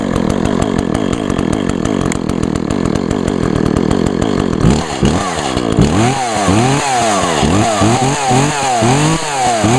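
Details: 2012 Echo CS-400 chainsaw, two-stroke, cylinder fogged with Sea Foam Deep Creep so it smokes heavily on start; even buzz revving up and dropping back cleanly, no misses or stumbles; running healthy.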